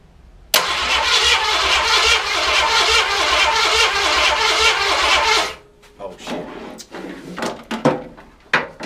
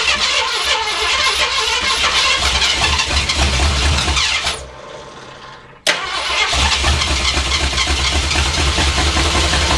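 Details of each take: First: Project car just fitted with distributor, oil and plug wires, booster box on starter: steady cranking about five seconds with no firing; cranks but won't start because the ignition wasn't plugged in. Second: Carbureted project car started with brake clean: rough, uneven idle with a short dropout before catching and settling; idling, owner unsure if carburetor or a vacuum leak.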